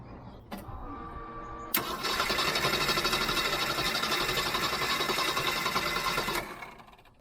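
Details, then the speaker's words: Jeep 4.0 L straight-six cranked from a portable jump starter: steady, even cranking at about four compressions a second for several seconds, no slowing or clicking; healthy cranking, enough to start it many times over. "I mean that would have easily started it multiple times probably by the way this engine is not difficult to start"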